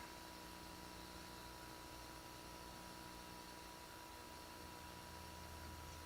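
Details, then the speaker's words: Macintosh compact (Plus/Classic/SE) power-on, suspected Seagate drive: steady squirrel-cage fan rush with faint high whine, no drive spin-up hum or seek clicks; hard drive not spinning up. "I hear the squirrel cage. We got bong. I don't hear the hard drive spinning up."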